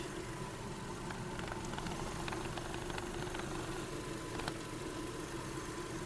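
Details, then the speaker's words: 2008 VW Golf 5 1.6 MPI petrol, 198,000 km, idle with climate control compressor on: smooth, quiet, even hum with faint steady whine, no knocks or misfires, no smoke; engine judged healthy. "не димить не троїть Мотор працює тихо рівно"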